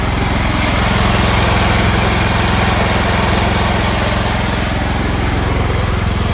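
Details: John Deere L110 automatic lawn tractor with a Kohler engine, sat 5 years, running after a full carburetor clean and gas tank flush, jump-started. The single cylinder runs at a steady, even beat with no misfires; normal running.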